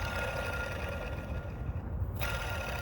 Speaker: if you ever wondered what a belt tensioner going bad sounds like this is a bad bearing